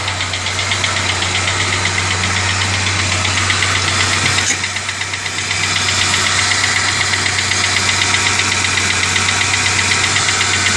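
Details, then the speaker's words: Engine knocking-type noise at idle that started right after an oil change; MAF sensor had been acting up and was replaced, noise persists. Steady light metallic tick about four per second over idle with a hiss above; source unknown. "I don't know what that noise is it just started right after I did a water change I you know oil change I'm sorry but my mass air flow sensor had been messing up so I just put another one on there and I'm still getting the noise"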